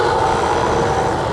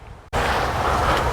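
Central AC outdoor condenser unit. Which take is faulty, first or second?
second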